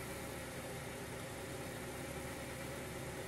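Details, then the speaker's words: 2000 Honda Prelude SH, H22, first start in six months after taking it apart to fix a long-standing surging idle. Now a steady, smooth idle with no surging, a touch high; owner suspects the throttle cable or a dirty intake, but tolerable. "it's a little bit high of an idol which I think could be the throttle cable or just a dirty intake or whatever the case but this is totally tolerable"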